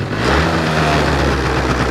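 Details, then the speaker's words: Two-stroke engine without choke idles drawn-out and loud, revs high and slow to drop, lean mixture even somewhat with choke; applying choke brings back crisp, proper running. "Слышите, как мотор работает? Такой прям растянутый звук у него."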